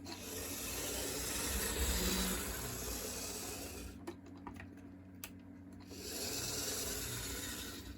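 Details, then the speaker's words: Restored HO scale Lionel GP30 locomotive on track after reassembly: small motor hum with a fast, even gear buzz that dips and returns as it runs; smooth, healthy running. "I'm pretty confident that this thing will run, but we will just have to see. And it runs great."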